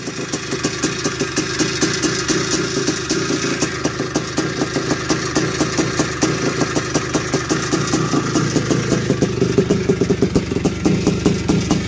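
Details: 1981 Suzuki RM465 two-stroke barn find, first start after fuel poured down the plug: rapid metallic clatter on every firing pulse, busier with revs; owner suspects it needs a top end, heavy smoke suggests blown main seal, clutch side suspected.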